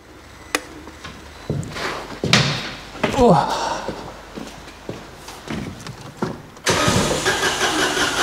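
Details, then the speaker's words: Citroen AirCross 1.2 three-cylinder 82 PS petrol on jump start, with immobilizer issues shown on the scanner: starter spins briskly in uneven bursts with door clunks around it, cranking fast enough, but the engine never fires. "I mean it's cranking fast enough"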